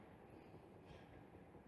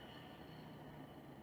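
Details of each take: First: Washer motor run directly on the bench for testing; unlike the worn-bearing motors tested, it gives only a steady, even low hum with no bearing grinding or rumble, a normal motor sound. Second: Electrolux LTE12 washing machine motor, removed (belt off) and run directly on the bench, cold on first run: steady rough hum with low grumbling whirr from a worn motor bearing, the cause of noise during spin.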